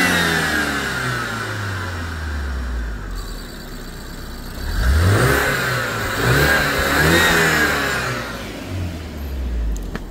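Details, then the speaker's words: BMW E87 120i petrol, 115k-mileage project car bought with engine issues: engine blipped with exhaust listened to, revs rising and falling cleanly with no stumble or popping; smooth revving, no longer misfiring. "Let's have a listen to the exhaust. That don't sound like a misfire to me."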